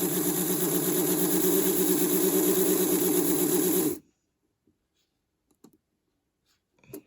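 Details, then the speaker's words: Vintage 1957 Revell Union Pacific 0-6-0 dockside saddle tank HO model locomotive, motor lubricated during restoration: small motor whirs with steady, even buzz about four seconds then cuts out cleanly; runs smoothly and healthy. "all right that sounds nice and healthy"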